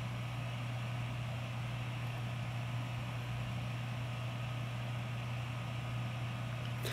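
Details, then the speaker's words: 2012 Sony VAIO S13 laptop, Intel HD 4000 graphics, running 3DMark Vantage at full load: smooth low hum with faint steady whine, no scraping or screech; healthy fan, not too noisy. "if you move it away drops down to quiet residential and the fan has dipped down a bit so overall the Fan's not too bad"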